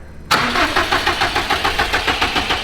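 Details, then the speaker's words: Built turbocharged Subaru STI first-start attempt: even starter cranking about five pulses a second that never fires, because the ignition coils, cam sensors and other connectors underneath were left unplugged. "all right so the coils were unplugged and cam sensors and some other stuff was unplugged underneath"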